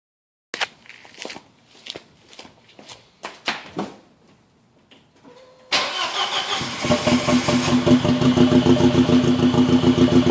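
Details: Audi petrol engine starts and runs very lumpy with heavy shaking pulse, severe misfire, running on only 2 cylinders.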